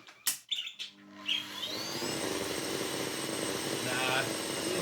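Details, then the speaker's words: Miele S8 Total Care 2200W vacuum, motor burning out (burning smell) even after re-crimping a sparking wire joint: motor spins up to a high, strained, uneven wavering whine; motor is toast. "It's still burning out and that is the motor. I can smell it now. So yeah, sadly it is toast."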